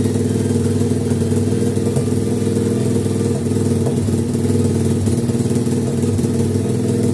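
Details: 50cc two-stroke pitbike after carburetor cleaning, mixture screw fine-tuned to the best setting. Small single idling fast and steady with an even beat, no hunting or stumbling; normal idle.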